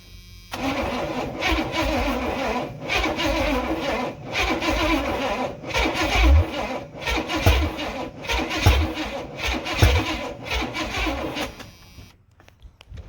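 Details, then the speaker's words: 1986 Silverado C10 with a carbureted Vortec 350 swap, first start attempts with open holes in the intake and carb sucking air: slow, uneven cranking with brief tries to catch. Owner unsure whether battery or starter is weak; thinks timing needs advancing. "She's trying. I don't know if the battery's weak or if the starter's weak or both is weak."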